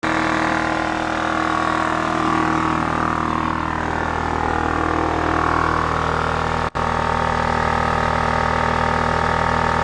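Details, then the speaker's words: Scrapyard Honda EX650 generator, vibrating very little: even, steady drone at constant speed throughout, no hunting or surging. Running healthy. "I believe these is supposed to vibrate with the frequency that it's running at don't see doing much of anything"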